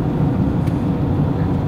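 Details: Renault Megane II 1.6 16v petrol engine, after repair of a jumped timing belt. Even low engine rumble under road noise, with no tapping, rattle or misfire. It pulls smoothly and now runs well and healthy.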